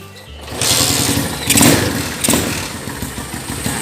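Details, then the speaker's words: Honda GL100 motorcycle with Grand AC CDI after fitting a 4-wire AC ignition switch, switch not grounded to the body: quiet lead-in, then the single catches and runs with a steady, even putter and small blips. Starts and idles normally. "ini kan motor nyala ya"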